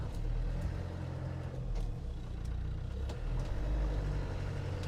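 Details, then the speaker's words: 1995 Land Rover Defender 110 300Tdi on a test drive, engaging and moving in reverse: low, even drivetrain rumble with no clunk on engagement, and the driveline sounds tight and solid. "Again, no clunking out of the gear, like everything feels nice and solid."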